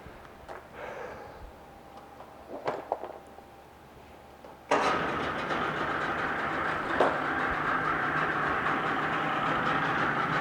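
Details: 1996 Force 40hp two-stroke outboard, 20-inch shaft, 145 psi both cylinders, new plugs, impeller and fuel filter, cleaned fuel system: a few clicks then catches and runs evenly buzzing, no knocks or misses; normal running.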